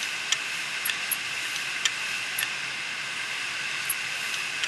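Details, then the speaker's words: Western Digital 500GB external USB hard drive, damaged after falling over. A steady high hiss with scattered irregular ticks and scrapes; the heads crashed onto the platter surface. "what I'm trying to show here is one of my videos I have uh heads left on the platter and uh that's often a very fixable thing in the desktop hard drives"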